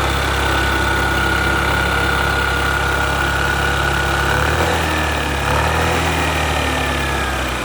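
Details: Yamaha Gear scooter idling: uneven light tapping, roughly three to four a second, over the engine hum; engine knock, cause unclear.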